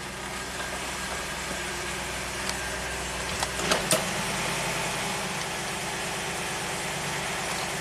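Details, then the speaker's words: 1993 Cadillac Allante Northstar V8 with P030 idle speed control code: smooth steady idle sitting high, about 1,000 rpm; throttle plate gap seen with idle control plunger, cause not confirmed; high idle speed. "So now I still want to deal with this slightly elevated idle speed. That's setting the P 030 trouble code."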